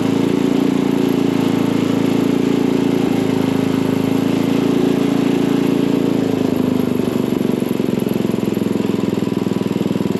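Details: Craftsman dual-tine tiller, 9 ft-lb LCT single-cylinder engine, after repairing mouse-chewed ignition wires causing no-start, spark plug refitted, air filter off: steady even putter at constant speed, no stumbling or dying; running properly.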